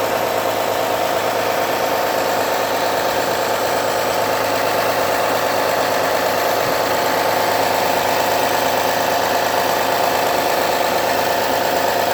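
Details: 2009 Honda Accord V6 at cold-start idle: a fast, fairly even knock, about three per second, that goes away after a few minutes warming up. Owner suspects a pulley or belt tensioner. Knocking at cold idle.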